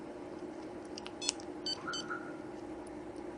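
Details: Viper 7351V car alarm on a truck answering remote fob open and close commands with a few short high chirps; the faulty fob was working while its back components were pressed, later fixed by padding them with folded double-sided foam tape.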